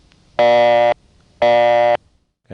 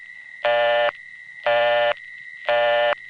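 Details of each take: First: New York City call through Bushwick to a panel exchange: buzzy bursts about half a second long repeat roughly once a second, the typical panel ring-to-busy signal of the 1960s and 70s. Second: New York City phone call through an MF-operated wireline trunk to an N3 carrier trunk: a busy tone pulses about once a second over a constant high whine, which is power supply noise from the City Island central office.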